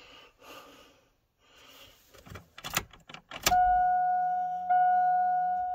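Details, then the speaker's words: Isuzu Hombre pickup sitting 5+ years, 169 on odometer, cold frosty intake, key switched on; steady mid-pitched electric hum, fuel pump priming normally. "hear that fuel pump."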